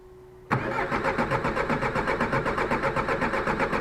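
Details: Suzuki Grand Vitara 1.9 DDiS diesel cranks at about four even compression beats a second but never fires; no DTC, fuel filter and injection pump fine; cause was a clipped camshaft pulley alignment key.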